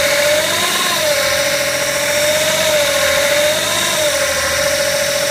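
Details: BMW E61 535d automatic, about one week and 500 km after a new torque converter, with unstable rpm: loud steady high whine over the diesel idle, wavering slightly with revs, appearing in D and R; owner suspects the torque converter.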